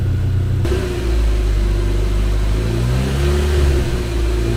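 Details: Chevrolet Cobalt SS (LSJ supercharged) first run after reassembly, supercharger bolted on with old gasket pending rebuild kit; deep, steady rumble, picks up and holds evenly, no misfire or knock, running good; owner still chasing intermittent hard start, suspects fuel pump.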